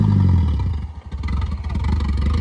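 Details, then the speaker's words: 1987 Ford Ranger 2.3 five-speed with junkyard Turbo Coupe turbo swap and upgraded fuel system, first drive after cool-down: deep engine roar sags and drops out briefly under throttle then picks up; driver bogged it. "told him don't bog it, and he immediately bogs it."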